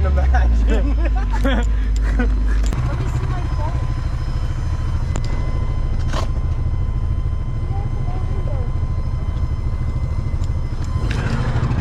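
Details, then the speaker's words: Suzuki Vitara 4x4 off-road: a thin, steady high buzz from the add-on fuel pump over the lumpy engine rumble, holding regardless of revs; the pump is dying and the owner thinks it is just tired. "hear your fuel pump buzzing away are you doing another rip well fuel pump died so my handy-dandy fuel system didn't actually work"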